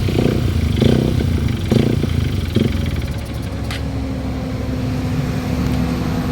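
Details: Honda XR150L single-cylinder enduro engine revving with uneven clattering knocks about once a second through the low drone; engine knock, cause unknown.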